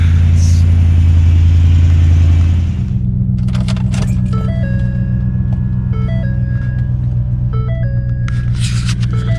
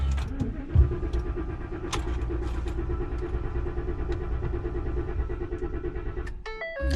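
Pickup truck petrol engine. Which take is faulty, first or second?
second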